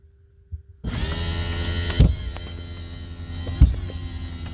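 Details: 2015 DRV Atlanta RV cable slide system: while extending, the electric slide-out motor hums steadily, broken by two sharp snaps about 1.5 s apart; the slide still goes out and in.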